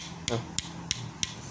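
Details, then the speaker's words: Honda Beat FI engine apart after smoking and rough running: connecting rod tapped by hand gives sharp metallic clacks about three a second, big-end play; would knock loudly under load on throttle, connecting rod to be replaced. "Kita pukul atasnya. Ada suara tek tek tek tek tek tek tek. Nah, itu jika putaran mesin kena beban ini pasti kencang suaranya saat gas ditarik."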